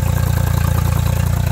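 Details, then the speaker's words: Mercury 60HP outboard idling too fast, above 900 RPM against a 725–750 target, with the IAC working but sitting at 9%; air leak through a faulty throttle body, fixed by replacing it. "So, increased idle speed upwards of 900 is too fast."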